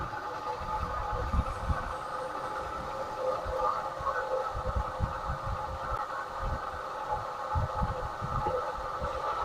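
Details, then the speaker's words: 1979 Lincoln Continental at idle after fitting a new two-barrel carburettor and freeing a stuck choke: smooth idle with a rough, gravelly constant-pitch whir underneath from the worn water pump bearing, awaiting pump replacement. "That water pump sounds miserable. Well, she's smooth as silk now. Other than that noise from the water pump, of course."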